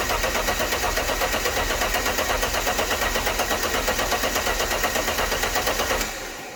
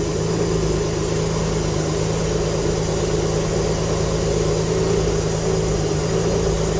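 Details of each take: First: Alfa Romeo GTV engine, not run in 18 years, used fuel pump from donor car fitted, engine harness disconnected to crank and circulate oil: even, regular cranking about six seconds, no knocks or grinding; sounds healthy. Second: GTV V6 with a newly fitted replacement engine, first start after 18 years, smoking from unburnt oil, new exhaust gasket not yet fitted. Loud, raspy running with sharp, uneven puffing of the exhaust blowing.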